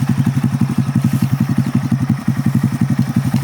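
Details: Honda Grom being revived after a crash, front wheel to be replaced; quick, even thumping at steady idle, about three beats a second, no knocks or rattles; small single running clean, normal idle.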